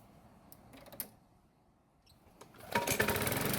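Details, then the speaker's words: Bolens mower after diaphragm replacement, oiled foam air filter refitted and engine primed: catches and settles into a quick, fairly even putter of about four beats a second, running much better than before. "And as you can tell, it's now running a whole lot better than it was before changing the diaphragm."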